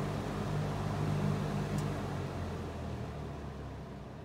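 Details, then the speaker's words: Monarch 20-inch box fan, variable speed switch fault: once the fan warms up even slightly, the variable speeds stop working; a steady, unchanging low drone with no rise or fall in pitch. "right now I didn't change again it's not cheap at all that's very strange all right so as soon as we're this warmed up and even a tiny bit the you variable B speeds stop working"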